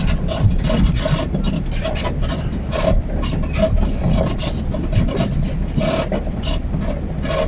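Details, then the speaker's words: Truck camper on rough Mojave Road trail at slow speed: rattling road rumble with short squeaky creaks every half second over bumps, right behind the cab; owner suspects the camper shifted on its mounts. "I think my camper shifted cuz now it's squeaking really bad. If you can hear that. It's quite annoying. It's right behind my head."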